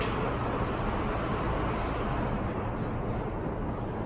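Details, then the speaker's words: NASH CoolSmart 16-inch oscillating pedestal fan switched from normal to sleep mode: a soft, even rush of air that quiets a lot, with no ticking, rubbing or wobble. Normal low-speed running. "you're going to hear it quiet down a lot. It's still going to be running, but at a lower, much lower setting."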